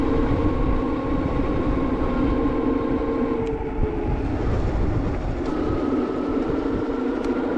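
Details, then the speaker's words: HyperScrambler 2 on a short ride on a cold day after applying Squeeealll Out anti-squeal paste. A loud, steady squeal of about 1 kHz slides in pitch on the stop; the paste helped the rear but not the front disc. Disc brake squeal. "it worked on the back but not the front so I don't know what to say it worked or not [Music] oh God now the backs are going again"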